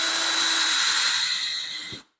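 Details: Cordless drill running free just after retightening a slipping bit in the chuck: smooth, even high-pitched whir held about two seconds, then winding down cleanly; normal running.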